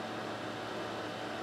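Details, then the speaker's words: Older (2004-2006) Sharp XV-Z2000 DLP projector, cleaned and fitted with a new lamp after the old lamp exploded, starting up: steady, even fan rush with a faint low hum as the color wheel and cooling fans run normally, not too noisy. "color wheel started and see the light down there coming on color wheel sounds good too"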